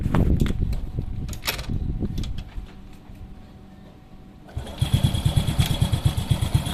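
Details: Honda Supra Fit motorcycle after fixing a leaking, flooding carburetor, air screw set with filter installed: some clatter and handling, then the engine catches and settles into a quick, fairly even putter around three beats per second.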